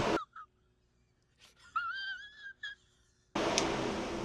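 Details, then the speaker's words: 1985 Corvette C4 after carburetor swap and 3-core radiator install, electric radiator fan switched on: quiet, then a sudden steady strong rush of air, no rattle or whine; normal fan operation. "And let's flip our switch. And our fan should come on. Yep. Man, dude, that thing blows, too."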